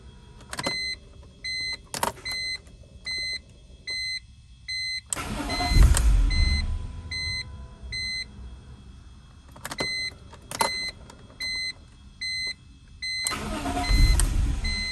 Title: 2006 E46 M3 no start.